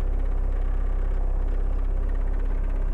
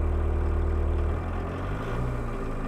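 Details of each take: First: 1.6L turbo diesel, mic inside cabin at idle before raising high idle: deep lumpy idle with faint light rattles on each pulse; interior rattles from low idle, worse cold. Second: 1.6L turbo diesel Mk1 Rabbit, recorded inside the cab with mic on chest while raising idle via fuel pump screw for winter: steady, even low drone, idle settles slightly lower partway, smooth, no knocks; normal raised idle.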